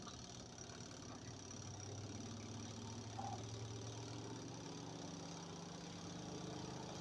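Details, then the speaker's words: Twin-tub washing machine spin motor with replacement capacitor, loaded with wet clothes; low steady hum climbs evenly to normal working speed with no rubbing, buzzing or labouring: normal spin under load. "vamos a probar ahora con carga bien le hemos puesto una carga de ropa mojada ve í va acelerando sin problemas escuchen como acelera"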